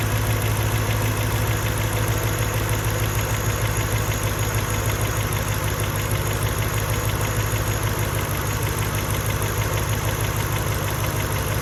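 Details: Mercedes E55 V8 petrol with stage 1 remap and full engine rebuild, plugs, coil packs and leads changed within last 4k miles/1 year: on cold start, once revs drop, idle turns uneven and lumpy, stumbling like a misfire, but no codes stored; cause unknown.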